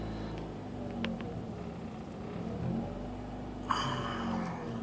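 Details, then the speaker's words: 2004 Mazda RX-8 rotary with low compression, warm, coolant sensor satisfied: idle swells and sags every second or two with no throttle; owner suspects ECU lowers idle, worn engine can't hold it, ECU adds fuel, repeating cycle; unconfirmed. "Say, okay, we're higher idling, but the coolant sensor is satisfied and we're going to try lowering the idle. And just the mechanical state of the engine says no. So then the ECU thinks, okay, we'll add some more fuel to it."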